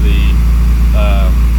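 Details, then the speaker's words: Acura RSX at idle on ramps after an exhaust leak repair, also being checked for overheating: deep, steady exhaust drone with no ticking from the exhaust joint. Normal idle; a drive around the block is planned to confirm. "Yeah, I don't hear it."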